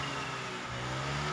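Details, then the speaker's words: Fuel-injected automatic scooter after replacing damaged fuel pump O-ring that leaked petrol from the tank: smooth, steady moderate throttle drone with no stumbles, rattles or surging; leak fixed. "kita blayar-bayar sedikit jangan terlalu apa namanya jangan terlalu e ngegas lah ngeber ngegeber secukupnya sajaah aman pokoknya enggak bakalan bocor lagi"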